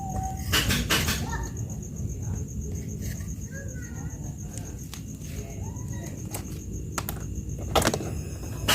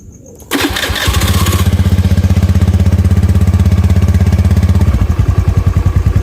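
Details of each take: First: Honda Beat FI scooter with previously unstable idle, restarted after repeating the manual ECU reset: fires after a quiet stretch and settles to a steady normal idle, no bogging on throttle. TPS sensor suspected next. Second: Honda Beat FI scooter after spark plug change and ECM reset: engine catches and settles into fast even putter, then turns choppy and bogs on snap throttle; still hesitates, another ECM reset planned. Cause suspected, not confirmed.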